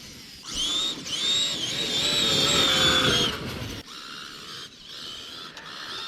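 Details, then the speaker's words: Traxxas X-Maxx electric RC truck with 18-tooth pinion and 54-tooth spur on full packs, running in wet grass after repeated stripped gears: motor whine with gritty grinding, not clicking, under throttle from pinion and spur mesh. "do hear a bit of grinding but it's not um clicking noise more more than grinding"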